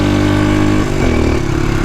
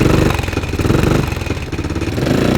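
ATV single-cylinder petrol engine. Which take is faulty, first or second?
second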